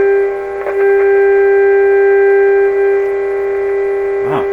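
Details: 1925 Magnavox Type D TRF radio: a loud, steady low hum with a buzzy edge holds constant even at minimum volume; strong mains hum.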